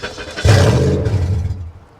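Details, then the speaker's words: 1982 Chevy Camaro Crossfire V8 at a salvage auction, started on a jump: engine catches and roars with a loud, open, boomy exhaust note; it runs great, but someone cut off and stole the catalytic converters. "oh someone cut the converters off of it well that's nice it runs yeah it runs in fact it actually runs great someone just stole the converters huh"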